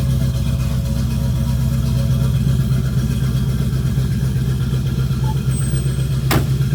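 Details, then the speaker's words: 1976 Chevrolet Camaro V8 running: deep, even rumble with a steady beat and no knocks, ticks or misses; engine runs healthy. "That sounds great, guys. This is a beautiful car."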